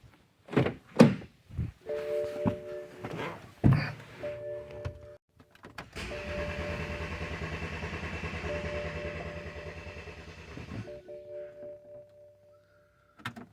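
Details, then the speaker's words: 2013 BMW X1 with N20 4-cylinder, ignition coils unplugged: starter cranks steadily for about five seconds but the engine never fires, a deliberate crank-no-start capture of Valvetronic data while cranking. "that's crank no start got some data there"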